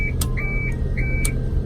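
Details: Tadano crane during setup: repeated high chirping outrigger warning beeps about every half second over a steady diesel idle.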